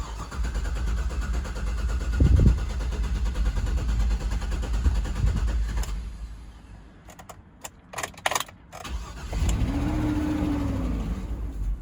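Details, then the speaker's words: 2009 GMC Yukon Vortec after fuel pump repair, relay installed: cranks while fuel pressure builds, then catches and revs into an even idle with no misfire; restarted first try after battery disconnect to reset fuel trims; normal start. "First try after disconnecting the battery. And it's setting in idle now."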